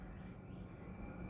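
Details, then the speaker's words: EMI mini split installed about two years ago in a garage, indoor unit switched to fan-only mode at full speed: quiet, steady low hum and airflow with no ticking, rattling or wavering; normal fan operation. "and yeah it's on full speed so you can hear it taken off"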